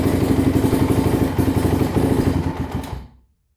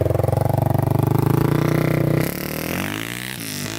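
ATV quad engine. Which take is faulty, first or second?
first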